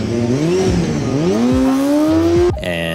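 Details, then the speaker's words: 1990 Honda CBR250RR, about 30 years old, dealer-serviced, 19,000 rpm redline and 20,000 rpm limiter: small engine revs quickly to a sharp screaming redline and holds a clean whine with no misses, a healthy high-revving engine. "this is me hitting 20 000 rpm in a school zone this is me pinging the red line in a drive-through"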